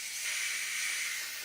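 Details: AEA 357 Challenger air rifle being degassed by loosening the gauge before power valve installation: steady, loud, high-pitched hiss with a faint thin whistle as air bleeds off evenly.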